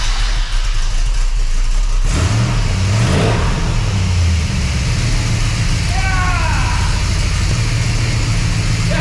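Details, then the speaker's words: Freshly rebuilt 400ci small-block Chevy V8 with new bearings and rings, in an S10 with a 5-speed, first start: fires after a short crank, revs, then settles into an even, steady idle with no knocks or ticks; healthy. "well that was a big success the 400 runs there's no weird noises I managed to do just a quick little lap around my cul-de-sac here"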